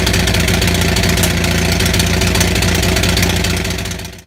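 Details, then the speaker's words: Onan 6500 (6.5 kW) gasoline commercial generator, missing its muffler: uneven popping beat around four per second that stumbles, with backfire and shaking; spark present throughout, misfire traced to severely fouled spark plugs. "so if you just saw the video of this running like shit, I don't know if the backfire was coming out in the video."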